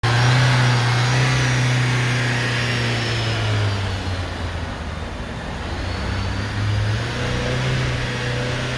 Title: Fumaça branca no escapamento e barulho no motor.